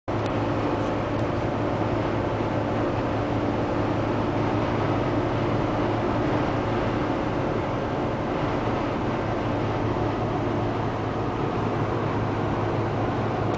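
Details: Fiat Tipo 1.4 i.e. cruising on highway at about 90 km/h: loud steady low drone fills cabin, sounding like 120 km/h; excessive engine noise, cause unknown.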